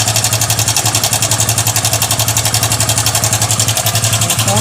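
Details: Hero Passion Xpro i3s motorcycle at idle: fast even metallic ticking near four per second; timing chain rattle.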